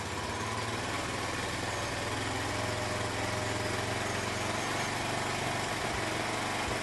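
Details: Honda C90 with new OO Racing replacement carb, after shortening throttle cable for free play, before warm-up: steady, even idle with a buzzy exhaust and no hunting, misses or surges; idle settled.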